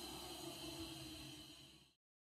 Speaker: This is how new bearings sound like.